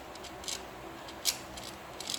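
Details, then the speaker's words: Hyper Tough 2-stroke string trimmer gearbox turned by hand: faint sharp metallic scrapes about every 0.8 seconds, metal-on-metal, and it locks up and won't spin past a point; worn gearbox grinding and binding, to be replaced. "don't know how well you guys can hear that but you can hear there's definitely some metal on metal and it's actually locked up i actually can't spin it past that right there"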